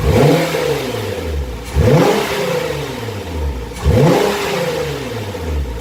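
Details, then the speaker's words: 2015 Nissan GT-R Gentleman Edition, 550 hp, on stock dump valves before the swap: three sharp rev blips about two seconds apart, each rising then falling smoothly; strong, healthy turbo engine revving normally. "donc aujourd'hui on va lui remonter les dom balfe donc vous faire écouter sans les deux bâle et après avec les angels"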